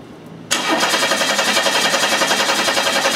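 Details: 1991 Chevy Cavalier 3.1 L group-fired injection, no-start with good spark: steady starter churning about three and a half beats a second, never catching; a shorted injector kills pulse to all injectors.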